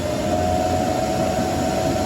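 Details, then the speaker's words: EG4 6500 inverter during a firmware update (version 79.61) start: steady even fan whoosh with constant mid-pitched hum, no rattle or wobble; cooling fans spun up and running normally. "Now you can hear the fans spun up. You might have it spin up. You might have it stay quiet."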